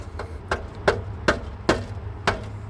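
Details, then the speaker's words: 1990 VW Golf Mk2 mid exhaust resonator, tapped: sharp taps each followed by a tinny rattle. It is rusted out with loose debris inside, sounding like candy; the muffler seems fine. "you can hear it rusted out sounds like there's a some nerds candy in there or something uh the muffler seems fine"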